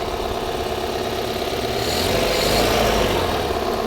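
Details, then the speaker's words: Toyota Corolla 2E petrol engine, repaired for smoking and oil consumption (valve work); smooth, even idle with a steady hum and no shake, miss or knock; engine quiet, only the timing belt cover makes noise; normal idle. "Walang kapalag-palag yung under nya, no? Tahimik yun."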